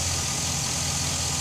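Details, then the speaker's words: Chevy SSR running at idle after new cooling fan installed, fan on high; steady, even idle with soft whoosh from fan, no knocks or rattles, very quiet, about the same as original; normal. "very quiet real the hand the fan is on high the same about the same as the original compressor came"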